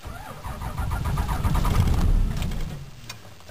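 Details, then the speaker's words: Ram Cummins diesel cranked in about -19 °C (around -2 °F) cold, cycled before cranking: labored cranking at about four beats a second, nearly catches then dies; hard cold start, no start, owner thinks batteries are better than yesterday. "ah come on Betsy you can start okay oh foreign better than yesterday eh I think my batteries are better"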